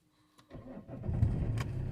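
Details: Vauxhall Insignia 2.0 CDTi diesel after fitting a replacement alternator and auxiliary drive belt and resetting codes: short crank, catches at once, steady low idle without knock or misfire; normal start, charging now 14 volts.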